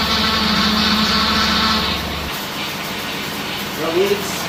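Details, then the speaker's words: 2004 Mustang Cobra V8 at idle just revived after CCRM fix: high steady whine for about two seconds then drops away while burping air from the power steering system. "Burping the power steering here."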